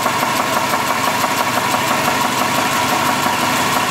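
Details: Engine idling: a fairly even idle with a light, regular knock at about three per second; a rod knock, worn rod bearing.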